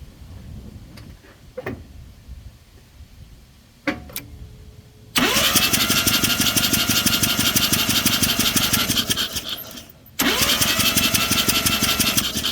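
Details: Mazda RX-7 barn find, long stored, oil added into rotor housings through plug holes, plugs out: starter spins fast and even with no compression pulses; owner suspects stuck apex seals. Low compression cranking.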